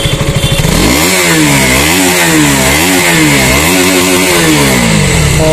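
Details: KTM single-cylinder bike after a new spark plug was fitted, fuel pump found fine despite the dealer wanting to replace it: crisp, clean revs climbing and dropping smoothly with the throttle, no stumble or popping; engine firing evenly and healthy.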